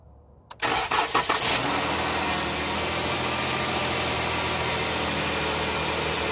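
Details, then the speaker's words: 2013 Jeep Grand Cherokee that cranked but wouldn't start, now running after the non-serviceable fuel pump relay was bypassed with a wired fuse jumper instead of replacing the PCM: cranks briefly, fires right up, and settles into a steady, even idle. "runs like a champ so there you are"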